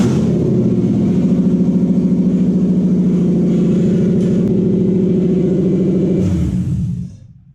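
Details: Toyota 1UZ-FE V8 swapped into a 2003 Hilux, during cab wiring work: regular chugging pulses about three to four per second hold steady for several seconds, then fade out as the engine shuts down.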